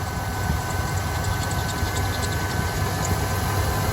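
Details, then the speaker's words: 1988 Ford E150 Econoline 4.9L: steady idle with a faint constant high squeal and light chirps from the belt idler/tensioner pulley, likely a worn bearing inside; suspected, not confirmed, before replacement. "so I guess we need to get that off yeah it's probably the bearing inside oh yeah let's get that off"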